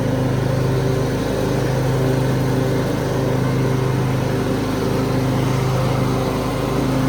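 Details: 2003 Craftsman (AYP) DYT4000 hydro riding tractor with electric PTO and 48-inch deck: steady, even engine thrum at constant speed with no misses or knocks; runs smoothly.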